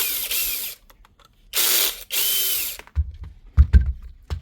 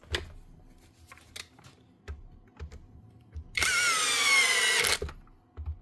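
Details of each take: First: DeWalt drill stuck in hammer mode again after its broken mode-change lever was repaired and it was reused in hammer mode: short whirring bursts with rattling hammer chatter, then loose clunks. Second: Bosch hammer drill that would not switch on, after an InstaFix repair: four short full-power bursts, each a strong even motor roar that starts and stops cleanly. The motor still sparks slightly but runs fine.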